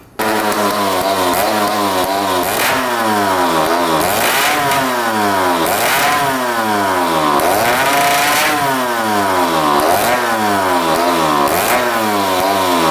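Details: 1995 Honda CR250 two-stroke after adjusting the power valve mechanism so it moves freely: repeated blips, revs rise then fall back, pickup lazy and hesitant, a lingering bog off idle.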